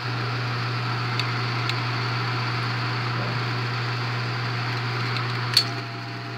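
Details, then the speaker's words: Bell & Howell 8mm film projector in need of restoration, motor with slow-motion setting engaged; steady low hum with faint whir as the mechanism drags almost to a stop, labouring, not good for the motor. Projector also needs a new belt. "If I turn this on, turn the slow motion on, pretty much stops it. But not good for it."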